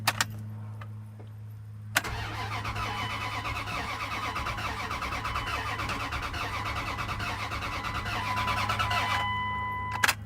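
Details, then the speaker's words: 2001 Dodge Ram 1500 after sitting two years, with a fresh battery and low oil topped up; starter cranks steadily for about eight seconds but the engine never catches; fuel issue to be checked next. "yep not really so let's rule out fueling issue"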